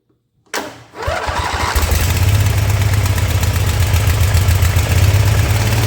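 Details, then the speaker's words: Ever Ride Hornet zero-turn mower by Ariens with a 25 hp Briggs & Stratton engine, running rough with irregular popping out of the intake; intake valve not sealing is suspected, possibly from overheating and a lost valve guide. Not confirmed. "so I don't know if you could hear that kind of popping noise that was going on while it was running but that was coming out of the out of the intake"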